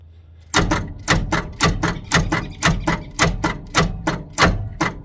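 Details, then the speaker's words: 1979 Ford F150 shortbed 4x4, 300 straight six, sat 4 years, fan kicking slightly: slow laboured cranking under two turns a second with heavy uneven strokes, barely turning; owner first thought fuel in a cylinder, then blames a bad battery. "or maybe my battery's crap I think the battery's crap"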